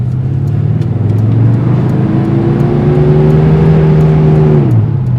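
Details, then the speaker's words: 1996 Chevrolet truck with a 5.7 L 350, after fuel pump and sender replacement, warmed up on a 7% grade: strong, steady drone climbs smoothly with speed, no squealing, stalling or misfire. Normal engine under load. "I drove this thing for about 15 minutes and no sign of squealing, no sign of dying. 7% grade, felt like it ran beautifully."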